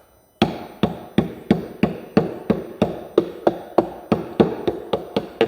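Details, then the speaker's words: Cerwin Vega AT12 speaker cabinet tapped by knuckle about three times a second; firm, dull knocks show this panel is solidly bonded, not separated. "so to me this sounds pretty solid on this side right there"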